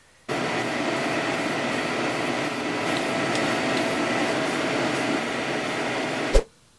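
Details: 2008 BMW E90 M3, hub spun by hand, giving a steady gritty rumble like a tiny cement mixer; worn wheel bearing, to be replaced.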